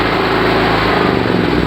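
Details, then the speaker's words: Generator running on LPG through a kitchen regulator and valve; gas valve closed down a bit, engine note sags and turns uneven as revs fall, lean on too little gas, about to stall. "ahí ven que ya se busca de parar. ¿Ven? Porque bueno, porque le falta."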